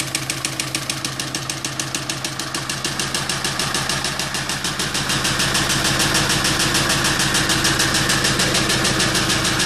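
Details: Kia Sorento idling: sharp steady knock about three times a second, evenly spaced and persistent; source of the knock not pinned down.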